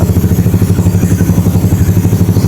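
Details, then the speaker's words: Yamaha Mio Soul carbureted scooter after valve regrind and new valve stem seals; sounds slightly more solid though compression stays stock. Steady, even low thumping about seven beats a second, no ticking or misses; normal idle. "kita mau coba kalau dari suaranya sih sudahudah sedikit lebih padat Ya teman-teman tapi ini enggak naik kompresi ya teman-teman ini kompresinya masih tetap sama standarnya enggak naik sama sekali"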